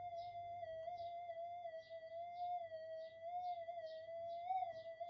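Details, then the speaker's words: Minelab GPX 5000 metal detector, power supply reworked, in enhance mode (more noise-susceptible), 0.05 target lost then back in noise: steady wavering threshold tone with soft pulsing warble from outside electrical interference; camera near coil may add interference. "I'm losing it in the noise there. Oh, it's back. I can still get it up there, but the electrical interference is starting to really affect it."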